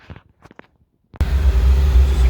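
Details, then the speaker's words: Old Paramatic oil boiler burner, adjusted up while reading analyzer: a few quiet clicks, then lights into steady deep, even roar with faint hum; noisy but firing normally. "giving it a little bit more uh quite noisy in there reading a little bit out on the analyzer"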